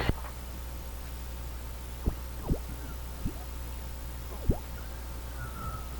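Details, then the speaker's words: National HRO receiver, crystal filter testing: dull muffled hiss with treble cut, faint steady note and clicks; crystal filter working with a very narrow bandwidth. "well that that that sounds very much like a crystal filter working there a tiny tiny bandwidth"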